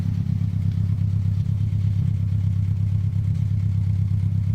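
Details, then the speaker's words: VW Cabrio with suspected head gasket or Seafoam smoke and an oil issue, just restarted and idling on its own: low shaky idle with light clacking near three times a second; something rattling, cause unclear. "Engine's a bit shaky. I hear some clacking around. That's probably not great."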